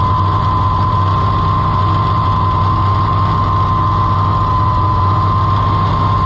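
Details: Farmall IH 560 tractor, overhauled and bored about four years ago, timing changed by the owner; a low, uneven idle thump with a steady whine on top. It is missing on a cylinder; an intake-side cause is suspected, not confirmed.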